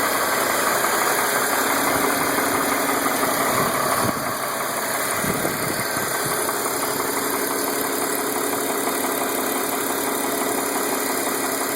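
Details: 2005 BMW 325i E46 M54 petrol engine idling steadily with a faint, fairly regular light ticking/tapping, about three per second, which recently started; cause unclear.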